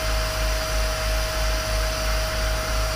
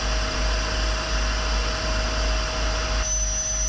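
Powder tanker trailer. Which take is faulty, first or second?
second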